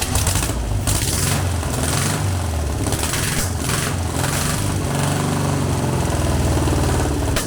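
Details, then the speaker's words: Long-dormant 1200 VW Beetle air-cooled engine on a test stand after freeing a stuck lifter, no parts replaced; steady low throb, even unbroken firing beat, no misfire or lifter tap; normal running. "hey that's sounded much better [Music] much better right that's brilliant"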